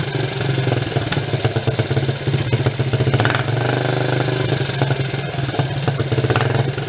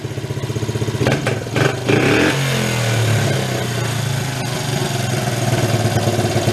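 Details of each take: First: 1983 Suzuki 125 single-cylinder three-wheeler ATV, choke off: unsteady rough idle with irregular pops and spits; mixture screw too far out, running lean, no good window found. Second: 1983 Suzuki 125 three-wheeler ATV, barn find revived after run issues: steady single-cylinder idle, quick throttle blip, revs hang briefly then drop back to even idle; healthy idle return.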